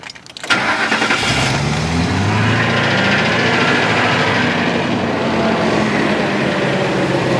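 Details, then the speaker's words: 2004 Ford F-250, 5.4 L Triton engine, at idle after startup: smooth idle with a faint, weird low hum underneath, source unclear; online sources say it's just the PCV, but the owner doubts it, citing conflicting info, and wants it checked. "It does have a weird little humming sound at idle. I've looked it up. People say it's just the PCV."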